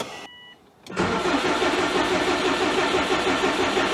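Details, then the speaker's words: 2002 Subaru WRX, built 2.6L stroker (2.5L block, 2.0L heads), after four years stored with old fuel: steady cranking, oil pressure confirmed, no firing; owner suspects plugged fuel or injectors stuck from sitting dry. "Uh, that's not a good sign. Usually, this thing always starts. What could be going on? Wonder if something is plugged up or if it doesn't have the fuel quite yet."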